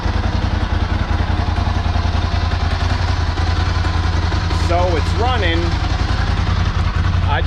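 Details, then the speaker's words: 2008 Ducati Hypermotard 1100S V-twin just started after fuel pump and filter replacement, key cycled to prime, warming up; steady, even low idle pulse with no misses or knocks over street background, healthy idle. "turned the key off and on a couple of times to go ahead and prime the system it's running i'm gonna let it warm up a little bit"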